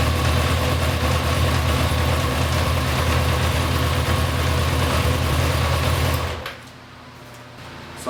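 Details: 1992 Yamaha XJ600 four-cylinder motorcycle after sitting and carb cleaning, before carb synchronization: lumpy, uneven idle pulsing about four times a second, then shuts off; owner suspects carbs out of sync. Rough idle.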